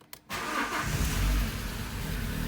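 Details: Alfa Romeo 156 that cranked but wouldn't start, after ECU ground wiring and fuel pump power checked and fuel delivery confirmed; short crank, catches at once, settles to steady even idle: normal start after repair.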